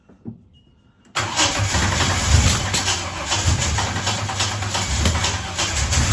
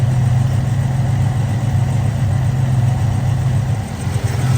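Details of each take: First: Holden HZ Kingswood wagon, 202 six, Trimatic, extractors, points ignition, new reco carburettor, very old petrol, on choke: catches and settles into uneven wavering idle with dips, earlier idled then died; rough idle after hard start, cause uninvestigated. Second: Holden HZ Kingswood wagon, 202 six, Trimatic, extractors, points ignition, 324,000 on the clock, after new reco carburettor and fresh fuel, warm after nearly an hour: steady even low rumble, no stumbles or knocks, every cylinder firing; normal idle.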